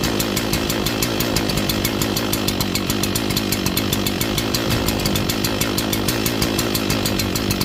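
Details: Echo CS-4910 chainsaw cold-started at about 2° with -10 wind chill in snow, choke off after first fire: fast, uneven popping idle with a ragged, burbling beat while still warming up; rough idle when cold.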